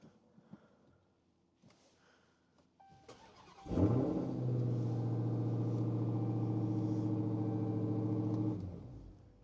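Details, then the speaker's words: Car engine starting on a jump pack with the battery at about 11 volts: brief starter crank, then the engine catches cleanly and settles into a steady, even idle; a normal, healthy start. "And now we're going to fire it up. As expected, the car starts."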